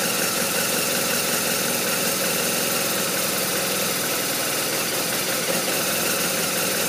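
Uneven, loping idle with an irregular beat under a busy top-end clatter; this boxer twin is idling rough, cause not yet clear.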